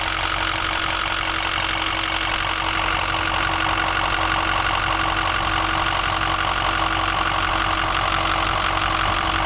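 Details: 2005 Ford 6.0L Powerstroke diesel after eight reman injectors, new fuel pump, filters and oil change, about 80–100 miles since: rough idle with steady knock near three per second, worsening; owner suspects bad harness, FICM or injector(s).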